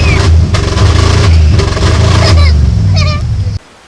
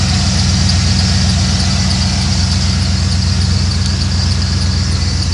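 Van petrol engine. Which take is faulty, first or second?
first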